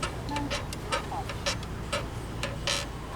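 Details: Electric scooter front wheel squeaks again with a regular ticking squeak about twice a second as the wheel turns; noise persists with disc brake removed, owner suspects bearing, found worn, damaged front wheel bearing.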